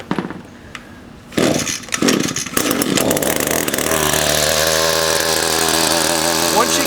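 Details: Echo 2-stroke weed trimmer unstarted for five or six months, primed and choked: a few pull-start rasps, then it catches into a steady even buzz with no misses; started within five pulls.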